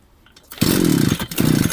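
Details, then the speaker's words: Two-stroke trimmer (brush cutter) refilled after running out of fuel and pulled on closed choke to flood it on purpose: it catches briefly at high revs, then sputters out. The choke should have been opened, and it now won't start. "Все, вона вхопила. Вже треба було скидати. Все, не заводиться."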